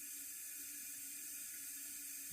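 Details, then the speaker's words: Toilet fill valve on a well-supplied house with no inline water filter: a faint, constant hiss that never stops once the tank is full, with water running over the overflow; sediment or trash stuck in the valve holds it open. "But that hiss that you hear is the water valve not shutting itself off. Now the reason why it has a problem, it's got sediment or trash or something stuck in that valve."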